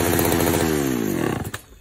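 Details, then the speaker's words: Vintage Pioneer P41 66cc chainsaw after carb rebuild: revs up, then pitch sags and breaks up at full throttle instead of screaming clean; bogging, suspected lean mixture. "can see full throttle right when we start bogging. I think it's a little bit lean."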